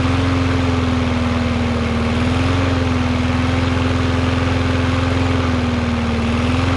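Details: Yard Machines MTD 21" mower, Briggs 550EX single-cylinder, after bending the bar to raise rpm: steady, even pitch with no hunting or surging, about the right rpm. Normal running speed.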